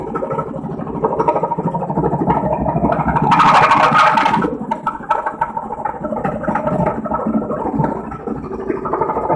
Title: loud noise very loud the washer laundry washer on number 3